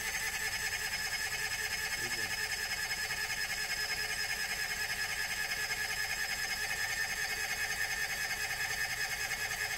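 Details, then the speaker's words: Old carbureted Kohler generator on a 34' Sea Ray Sundancer, cranked cold in cold weather during winterizing: steady starter whir, about 2.5 beats a second, never fires; the mechanic says these are finicky cold and will adjust the choke. "These old carbureted Kohler generators, they can be a bit finicky on a cold startup, especially when it's cold outside."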